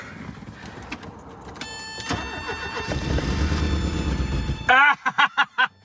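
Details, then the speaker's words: Porsche 924 unused over 20 years, new battery plus booster, starting fluid sprayed: slow cranking catches into a short ragged burst of running then dies; engine runs on ether. "It's gonna run! It's gonna run! It's gonna run! Okay, so that's a good sign. The thing starts and will run on ether."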